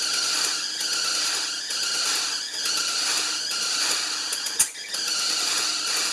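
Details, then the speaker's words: 1975 Lincoln Continental running after cooling system work; shrill steady squeal over the engine, swelling and easing slightly; loose alternator belt slipping on new belt, to be tightened. "Finally stopped no, our alternator is just really loose. Alright, give me a minute. I'm going to tighten up the belt on there and we'll go again. I don't want to hear that thing squealing this whole time or smoke my new belt."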